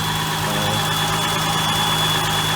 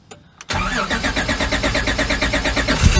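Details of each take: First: Warmed-up idle of a J-Series V6-swapped NA Miata: a thin, steady high whistle over a smooth idle. Air rushes past sharp edges under the intake manifold cover, left from the stock manifold's EGR "anthill". The cold-start idle air control sucking noise is gone; a new cover top is planned. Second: J-series V6 swapped NA Miata, aftermarket ECU needing extended crank to sync crank position: steady cranking over two seconds, then fires cleanly to even idle with good oil pressure; cold idle air control valve sucking noise; long crank then normal start.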